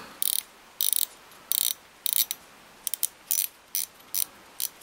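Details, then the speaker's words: Daiwa 7HT ST reel after strip-down, rebuild and upgrade with stainless main gear and pinion support: crisp, even ratchet clicking in short bursts, free of grinding, working as it should. "everything is working as it should. Let's do that. You can hear that clicking away."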